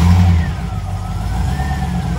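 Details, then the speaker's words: Classic Range Rover started after sitting a while, with brake pressure first built by the high-pressure brake pump, before towing to a shop for a full service. It catches and revs cleanly, then settles to an even low rumble, no knocks or squeals; sounds good. "sounds good baby she's ready to rock and roll"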